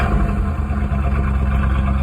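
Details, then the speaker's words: 1984 Chevy Camaro Berlinetta, 350 V8 with 700R4, just after cold start: deep, even V8 rumble at fast cold idle, steady firing with no knocks or misses; healthy cold start. "Mean! I know Peg's not a Chevy guy, but you just gotta fucking love old iron, man."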